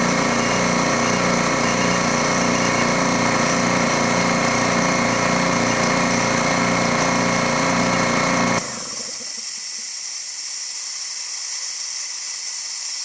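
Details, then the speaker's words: Dewalt D55146 air compressor before check valve replacement: steady motor-and-pump chugging, then it cuts out and a sharp air hiss continues as the faulty check valve leaks tank air back, so pressure drops and it restarts around 160 psi. "As you can see, it's going back down, and it's going to kick on again about 160 or so. And that's again because that check valve is letting the air by."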